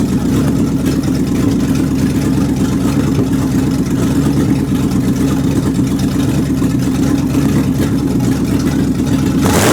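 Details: 360 engine test run after fitting belts and radiator hoses: steady, even note at constant speed over a low rumble with no knocks or surges; some popping and missing, suspected from the carburetor gasket.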